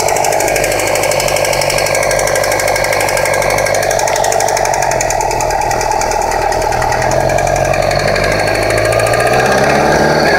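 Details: 2008 Yamaha R6 (R6R): a harsh rattling clatter rides on the engine while riding, rising and falling with rpm and vanishing as soon as the clutch is pulled in; rpm-dependent drivetrain noise, source still unknown.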